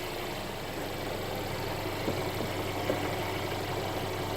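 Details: Mercedes CLA after a DIY oil change with Mobil 1 0W-40 and OEM filter: steady, even idle hum with a fine regular patter and no knocks or misses; normal idle.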